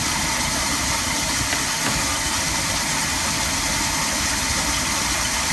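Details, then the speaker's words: 1966 Ford Mustang, 200 straight six, after swapping in a working Holley one-barrel carburetor, previously a no-start: settles into a steady, even idle with a smooth low rumble and no misses; idle feels slightly sticky, throttle shaft may need lubrication. "feels like the idle's sticking a little bit I may need to lubricate the shaft but there you go that's what happens when you put a good working carburetor on a car"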